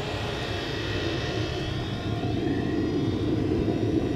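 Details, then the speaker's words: Chinese 2 kW diesel air heater at mid-range 3 Hz fuel pump pulse rate, about 80 degree temperature rise, 1.2 A draw: steady even combustion roar with soft regular pulse, no knocks, about 64–65 dB; running cleanly. "got about 64 65 decibels and sound coming through with this"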